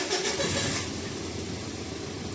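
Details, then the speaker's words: Mitsubishi Pajero Sport diesel with jerking, check light, DTC P0341 (camshaft position sensor): catches after starting, then uneven idle whose drone wavers up and down; RPM fluctuation, poor throttle response; rough idle. "मैंने बताया कि jerking हो रहा है। Engine का RPM fluctuation हो रहा है।"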